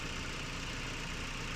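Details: Haval H6 1.5T previously shaking at idle with P0300 multiple misfire, after checking and securing the COP ignition coil: engine idles smoothly and evenly, no stumble.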